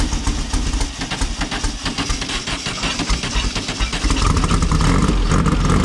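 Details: Silver Volkswagen air-cooled car after correcting spark plug wires to the right firing order: uneven rough patter settling into steady fast-ticking idle with a couple of blips, firing on all cylinders; smoking, oil leaking.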